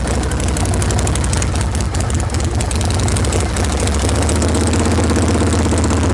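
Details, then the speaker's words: Fresh-build Harley generator Shovelhead stroker with 5-speed, warm, just started: loud, lumpy V-twin idle about three beats a second, a little ragged and uneven; needs a little tuning, throttle cable needs adjusting. "this is a fresh build al just started this it'll be running perfectly tonight because it'll be at the show tomorrow i need to adjust the throttle cable a little bit"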